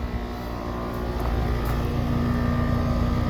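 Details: Trane XR17 4-ton condenser paired with TAM7, after rewiring for cooling: steady low hum, smooth fan rush, even compressor drone, no rattles or buzzing; healthy, though oily dual capacitor to be replaced.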